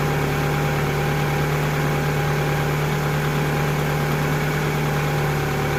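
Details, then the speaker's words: 2000 Toyota Camry after alternator replacement and wiring harness repair: smooth even idle, steady low hum, no knocks, squeals or belt chirp; charging at 14.7 V, alternator working. "Alright, now with the engine running, we can put it to DC volts. And we got 14.7, so that means the alternator's working good."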